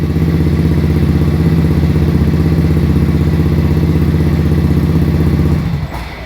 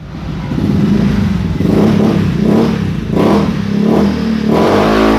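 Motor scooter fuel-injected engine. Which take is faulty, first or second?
first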